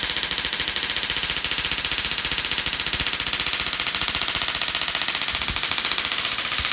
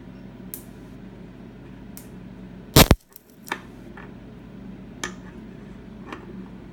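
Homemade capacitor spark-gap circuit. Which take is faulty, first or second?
second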